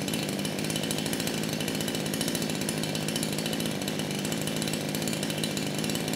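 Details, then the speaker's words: Kraftworld KW-5800 58cc Chinese chainsaw, previously run on straight fuel, clutch spring mangled, no air filter: steady buzzing idle and clean rev-up without stumbling; jetting not far off. "and that's all I needed to hear the saw it is idling properly it's revving up it's doing what it should do so the jetting it's actually not that far off"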